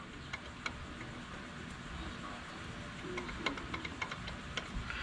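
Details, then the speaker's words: 2004-2009 Mazda 3 engine bay: sharp, uneven clicks, three or four per second, over a low engine rumble; the belt tensioner has play and is suspected of clicking, before replacement. "got some play in it that's not supposed to have that hear that clicking i think that might be it i'm going to go ahead and replace this hang tight"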